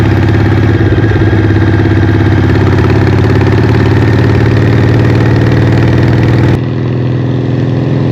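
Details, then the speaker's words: Harley Evo V-twin chopper on its first test ride after an eight-month rebuild: steady, even loping beat with a deep low rumble and no knocks or misses. Normal smooth running, described as light with plenty of power. "It's just a cracking little unit. So much fun. It's light, plenty of power. Cruise along, no worries at all."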